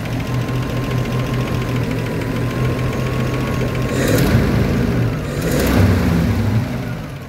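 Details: Tuned Land Rover Series 3 109 2.6, carburettor mixture set leanest by blipping the throttle: low even idle, two short throttle blips, then revs settle back smoothly without stalling; normal idle return.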